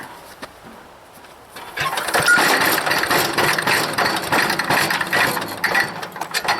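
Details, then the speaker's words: Wood chipper small engine, no air filter, fully choked, tank nearly dry, pull started: catches and runs in ragged, uneven bursts; sputtering on pull start, owner suspects dirty carburetor, low fuel or a bad float. "it's got compression for a lot of compression sounds like a sputtering"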